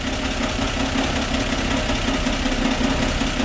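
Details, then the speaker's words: 1960 Grumman Olson Kurbside step van 235 six, first run since 1992, cold (about 30s °F) after refitting the plug wire: steady, even idle with mild rattle from the unbolted valve cover, no misses or knocks; owner sees no issues. "Actually sounds pretty good now. It's pretty cold out here. It's probably in the 30s."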